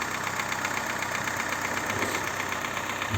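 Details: Daewoo Lanos 1.5 petrol engine idling with a steady, fast knock about four times a second; first suspected lifters or rockers, but it was piston slap from worn cylinders, fixed by boring the block with new pistons, rings, and bearings.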